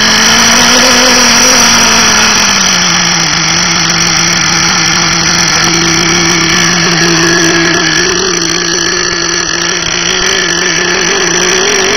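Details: FSR V3.5 small nitro engine running steadily at high speed with a slightly rough, burbling edge from a rich fuel mixture.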